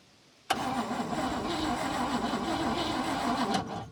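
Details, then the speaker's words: Newly acquired 1959 Cadillac Coupe, turned over by hand first, fresh battery fitted, no gas in the tank: the starter churns the engine about three seconds at an even pace with no firing, then stops; cranks but no start, no fuel. "Not gonna do you any good, Seth. That's not gonna do you any good. There's no gas in the tank or nothing."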